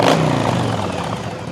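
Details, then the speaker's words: Yamaha V Star 1100 V-twin, earlier popping and banging at idle, now after tuning tweaks: comes right to life, blips crisply and drops back to a settling idle without popping; clean, responsive carburetion. "Now comes right to life and it's got a nice snappy throttle."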